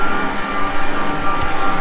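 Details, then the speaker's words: Dairy cowshed vacuum pump, worn and due for replacement, noisier than usual and worse in the pit: deep, heavy drone that swells and fades every fraction of a second, vibrating through the shed; worn vacuum pump. "this is the vacuum pump for the cow shed right there and that is what's creating the noise it's sending vibrations through the shed here which is creating that noise"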